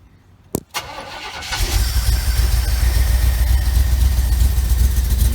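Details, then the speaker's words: 1975 Chevy Camaro V8, cold with electric choke engaged: catches after short crank, then idles rough with visible shake and an uneven stumbling miss; one cylinder not firing, traced to a fouled spark plug. "You can probably see and hear. You can see the shake and you can hear the miss."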